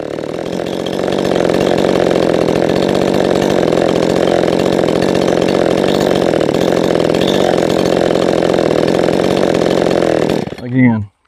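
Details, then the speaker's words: Poulan 3450 chainsaw being tuned, held wide open: thin steady high scream with no four-stroking, then cut off; high-speed mixture slightly lean, so richened a little on the high screw. "you cannot tune this thing while it's running. It's a little bit lean, so I want to fatten it up just a little bit."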